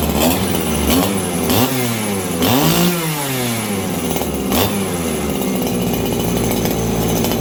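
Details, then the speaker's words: Farmertec 288 kitsaw, 90cc two-stroke chainsaw, low jet tuned: repeated blips each shooting to a thin screaming pitch then falling, high-speed jet running really lean. "Okay, I got my low jet tuned. My high jet seems really, really lean right now."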